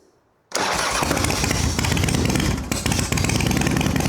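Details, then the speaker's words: 1993 Harley-Davidson FXDWG Evo V-twin at first start after carburetor cleaning, choke out, fed from an external fuel bottle: uneven spitting and popping. An intake leak was considered but doubted; the carburetor air-fuel mixture is set wrong and needs adjusting. "All right. Well, you heard that spitting and sputtering, but it sounds like might be an intake leak, but I don't think it is."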